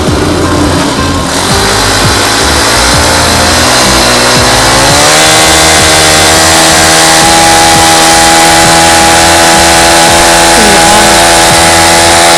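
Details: Honda GX35 brush-cutter engine, freshly rebuilt with a new cylinder liner and piston rings, test run on petrol: held at high revs, the pitch climbs then holds steady and even, no misses or knocking. Healthy high-speed running.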